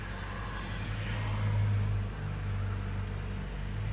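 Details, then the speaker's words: 2007 Toyota Corolla ZRE152R after alternator and drive belt replacement, running on two-year-old fuel and rarely driven. A steady, even engine hum and smooth low drone with no knocks, squeals or belt chirp. Normal idle. "runs quite well for car that's got two year old fuel in it hasn't been driven more than"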